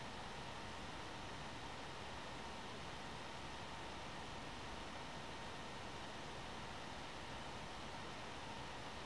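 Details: One Mix 2S Yoga mini laptop under Prime95 CPU load, microphone moved close to the fan: loud steady rushing air with faint whine, no rattle or scrape; fan at its loudest, normal.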